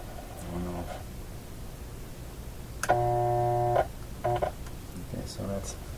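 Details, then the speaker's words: Westinghouse 1398 AM/SW/FM tube radio, first power-up, B+ near 198V, temporary filter capacitor removed: steady low rough buzz swells loudly then drops; excess power-supply hum without filter capacitor. "okay so let's uh take this capacitor off and see how that affects the bomb level"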